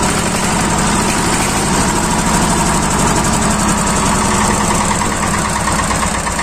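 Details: Yanmar TR190R-di single-cylinder diesel welder/generator running after air was bled from the fuel system and injector line that made it hard to start and stall; steady, even firing beat at idle with no stumbling or cutting out; normal idle.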